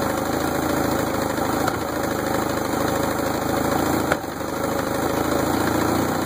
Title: 1964 Merc 650 backfiring